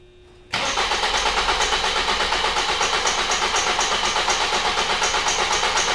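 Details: 2005 Ford Focus 2.0 cranks but won't start; the starter spins the engine at a steady, even rhythm of about three beats a second but it never fires. The relay power feed to the injectors and coils is open.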